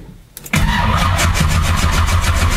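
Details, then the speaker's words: 1972 Nova, 496 big-block with large hydraulic roller cam (660 lift), single-plane intake, Fitech 30012 EFI, MSD distributor and Digital 6 Plus CDI, started in a 30s°F garage without pedal pumping after fuel pump primes: short crank, catches at once, loud choppy fast-idle lope; normal cold start. "so we just gonna put the key in there's gonna be no pumping of the gas pedal nothing just turn the key and see what happens like I said hopefully the battery isn't dead is dead a while back I hear the fuel pump that's good"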